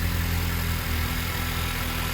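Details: Car idling steady and even with a smooth, unbroken rumble and no knocks or misses, just after a jump start from a Lasfit lithium-ion portable jump starter and removing the clamps; no warning lights, engine running healthy.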